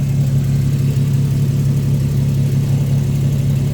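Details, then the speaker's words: 2009 Infiniti G37x at idle during a pre-purchase inspection: steady deep even drone with heavy low rumble, no knocks; exhaust is louder than stock. Inspector suspects a modified exhaust, possibly just a flex pipe. "Well, it could be just a flex pipe, but my guess is there is a modified exhaust on this car because the exhaust is loud."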